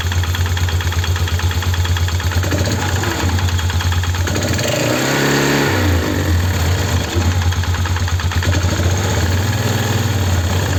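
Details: Polaris 330 Trail Boss single-cylinder ATV at idle has a strange noise from the CVT/clutch area or engine, a rough, busy rattle that disappears when throttle is applied; cause unknown.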